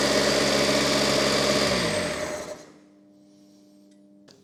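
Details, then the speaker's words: Fiat 600 engine test run, oil pressure relief valve suspected misassembled and an oil seal leak pending an O-ring: smooth, even buzz with steady beat winding down cleanly at shutdown, no knocks or misses; sounds quite healthy. "But it sounds quite healthy."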